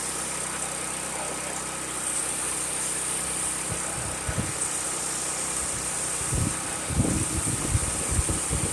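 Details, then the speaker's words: New Firman HO7552 dual-fuel generator, about 430 cc, running on gasoline after first start with fresh gas and oil: steady, even hum with no knocks or misses over a few handling thumps; healthy run, producing electricity. "But fires up, sounds good."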